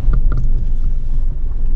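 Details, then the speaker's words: Toyota Aygo driving after repair: steady low road rumble, the brake disc barely touched by a thin part and no suspicious scraping or rubbing at the wheel. "une petite taille fine toi qui frotte à peine le disque ouais y'a plus de bruit suspect"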